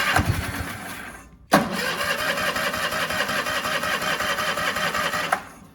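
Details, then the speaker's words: Cub Cadet 1430 garden tractor revived after years abandoned, warm after first run, surging and possibly misfiring: short burst, pause, then about four seconds of even cranking that never refires; owner suspects lost spark, later found a plug in the fuel system. "no you don't want to start now what's going [Laughter] on it's like we lose spark that's so weird"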